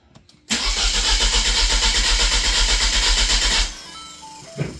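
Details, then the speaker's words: Mini in Tahiti, engine cold, tested with a part borrowed from another Mini: starter cranks about four turns a second for three seconds, never catches; same crank-no-start with ignition on. "pareil tourne pas quand tu mets le contact."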